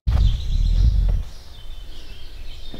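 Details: 1993 Ford F-250 7.3L IDI diesel with a new mechanical fuel pump, starter engaged by screwdriver at the solenoid: about a second of heavy, rhythmic low cranking that never fires. Fuel now comes through but leaks back to the tank; the owner suspects a leak somewhere, possibly the return lines.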